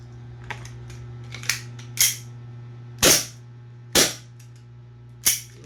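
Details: Double Bell Pit Viper gas blowback pistol reassembled after O-ring leak fix, testing the nozzle before the outer-barrel noise fix: six sharp cracks at uneven spacing, each with a clean gas hiss; cycles properly.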